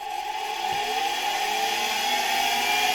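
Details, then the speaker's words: Polish Alfa K2 vacuum cleaner from 1965 with FAWOD SK-5b motor, very dirty inside, run on an autotransformer at reduced voltage (around 40V, raised slightly): smooth steady whir climbing as it spins up, no scraping or rattle; motor starts and turns nicely. "And I have to say, the motor started turning really nicely."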